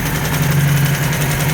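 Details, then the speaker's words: Cheap Ford Escort Mk3 GLE, carburetted petrol engine with idle set high and timing suspected out. A low uneven drone with hiss, rough from many vacuum leaks; the owner also hears a noise possibly from a rocker or lifter. "horrible. And you can hear it's got a lot of vacuum leaks everywhere."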